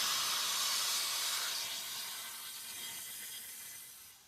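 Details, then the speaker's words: Engine converted to propane, hose run to tank, solenoid energized to pressurize: sharp high gas hiss fading over about four seconds; dry-rotted propane hose cracked with pinholes, leaking. "so I've got a leak in this house so I don't know what's going on there but oh it feels like it's cracked okay"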